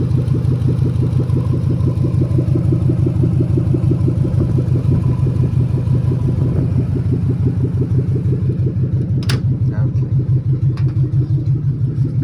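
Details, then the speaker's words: 2000 Lexus LX470 parts truck, 230k miles, timing belt done, no check engine light, at idle: deep loud rumbling open exhaust from stolen catalytic converter; engine healthy, no knocks, ticks or leaks. "The cat is stolen on this one, so that's why the exhaust sound. But the engine itself is pretty healthy."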